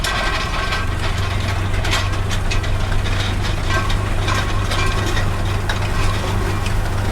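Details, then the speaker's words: Väderstad Top Down tined cultivator pulled by a John Deere 8RX in very hard ground: dense continuous loose metallic rattling over steady tractor drone from the black packer scrapers between the rings, set loose on purpose; normal packer scraper rattle. "the rattling you can hear are the scrapers you can see those black scrapers at in between the yellow rings and just see them moving about and they set them loose on purpose"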